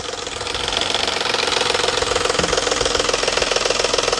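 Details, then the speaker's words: Engine on cold morning start: fast even tapping about three or four a second that suddenly stops; suspected cam phaser spring mechanism rather than valvetrain tick, cam phaser test planned with valve cover off. "typically you get that noise first thing in the morning or cold it'll just start tapping"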